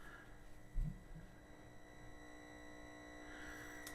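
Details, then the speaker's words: Atari 800 computer at power-on, volume up, mic close to the screen, same cables fine on other Atari 8-bits: steady high-pitched whine with faint hum on audio output; thought to be the worst of the owner's three 800s, fault suspected in the 800s. "that high-pitched screen whale whatever you want to call it is pretty consistent in the 800s that I have to to a greater lesser degree I think this one's the worst"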